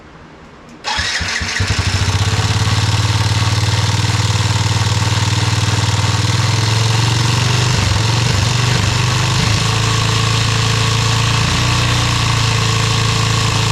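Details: Yamaha restoration engine starting and idling with brand-new carburetor just installed: beat dips and stumbles a few times midway; uneven idle, carb needs adjustment.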